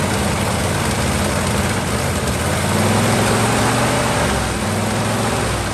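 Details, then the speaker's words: 1949 Ford truck with Thunderbird 312 V8, sat about 45 years, warm, idling low on choke with throttle all the way down: slightly irregular thumping beat; uneven idle, restarts fine. "Okay, that's what it idles at with the choke the throttle all the way down."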